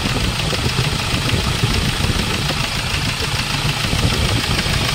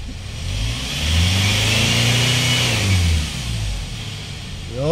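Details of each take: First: Hyundai Starex Gold diesel, recently overhauled after overheating: hard, uneven ticking knock over the idle, sharper than normal clatter, severe fuel knock with vibration, pointing to leaking fuel injectors. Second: Hyundai Starex diesel, recently overhauled after overheating, after replacing the fuel injector: revs up smoothly and settles back with an even beat, fuel knock and vibration gone.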